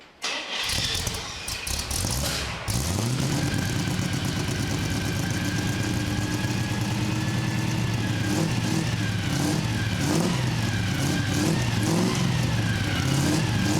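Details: Carbureted 327 V8 drag-race engine in a 1965 Chevy C10 truck, heard from the back, fires up into a deep lumpy throaty rumble with crisp throttle blips; sounds healthy and strong.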